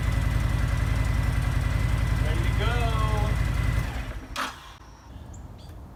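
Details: Honda VTX1300 V-twin sat almost a decade, after draining bad fuel and cleaning tank, fuel lines and carburetor: steady, even thump for several seconds with no misses, then dies away; normal running.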